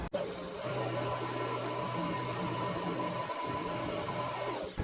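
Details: Mini lathe facing and drilling a part, after spindle bearings had been making noise: smooth, steady low hum with an even cutting hiss, no knocking or chatter; ran much better.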